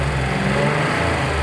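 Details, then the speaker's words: Warm Buick Grand National petrol engine after the bottom-end fix, idling smoothly after about 3 minutes of running: no rod knock at the rpm where it previously knocked. Old-school GM injectors tick lightly, with perhaps slight valve train noise. "Perfect. So, it would rod knock right around there. Oh, yeah. You can hear these old school GM injectors clicking away a little bit."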